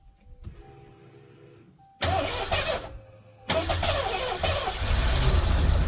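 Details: 1988 Mercury Cougar (Fox body), first start on its own fuel system after the gas tank was cleaned: the starter cranks briefly, then it catches and settles into a steady, even rumble; it starts and runs normally.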